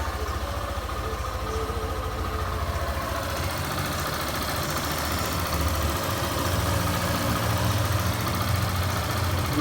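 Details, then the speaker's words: Yamaha Phaser 150 motorcycle after an engine rebuild for a noise, first start, cold and warming up with oil confirmed flowing: single cylinder idles slightly fast and evenly, quiet, with no knocking or ticking. "Verifica aí, né? Motorzinho bem calado. Verifica aí o motorzinho bem calado. Para ela aquecer."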